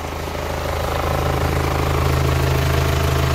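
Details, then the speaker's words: Hyundai Santa Fe diesel with heavy exhaust smoke, scanner shows nothing special, oil filler cap opened: rough idle with strong puffing pulse two to three a second, oil splattering; excessive crankcase blow-by, suspected from old injector copper washers leaking combustion gas. "There's a lot of this. There's a lot When I opened it, there's so much oil around here that it splatters. Oil splatters It's too much oil."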